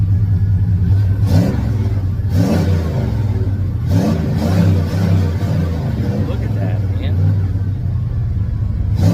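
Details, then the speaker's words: Chevy engine after replacing a stuck knock sensor: pulls up cleanly through several revs and settles back each time, even firing with no knock or miss; running healthy after repair. "Well, it's 100% the knock sensor, dude. This thing's running like a scalded dog. It's running good. Running really good."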